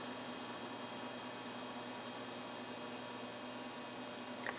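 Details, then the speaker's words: Frigidaire Gallery FGIH3047VFB induction range, about two years old, mic held up to the cooktop: steady even electrical buzz with faint whine from every induction coil under power, like angry mosquitoes; not a single faulty coil. "you can hear that buzzing and you can hear that buzzing you can hear that buzzing from every single one of the coils so it's not just one coil that's loud"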